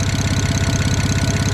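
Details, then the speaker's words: Built BMW N54 335i at idle, checked with a stethoscope for a suspected knock or turbo exhaust leak: even deep puffing about thirteen beats a second, no sharp knock or hiss; owner judges these normal exhaust pulses with even compression. "either a knock or an exhaust leak and it's legit the exhaust pulses from the exhaust and i think it's just this exhaust so it's consistent which means compressions even across the cylinders"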